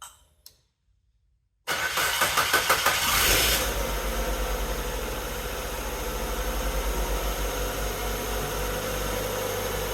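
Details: 2003 Mazda Protege5 after a no-crank diagnosis traced to the neutral safety switch: a short, quick cranking burst, then the engine catches cleanly and settles into a steady, even idle; normal crank and start.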